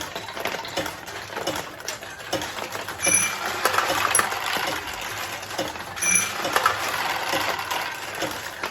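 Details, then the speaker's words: 1973 Nishijin Model A "Rolling Stone" pachinko machine after restoration, in play with a handful of balls: irregular bright ticking and clattering of steel balls with occasional chimes; losing balls drop into an internal tray that refills play, so no catch box is needed. Mechanism works normally. "The losing balls go into this tray. They do not exit the machine, so you don't have to worry about having any kind of a catch box on these particular machines."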